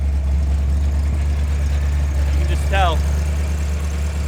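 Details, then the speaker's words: Ford Fox body Mustang V8 with original ECU refitted, idling higher, running rich, check engine light on: rough lumpy idle, uneven beat and stumbles with popping in exhaust and intake; misfire, cause not found. "Definitely still bit rich. Let's get a listen up up up up. Definitely getting a misfire."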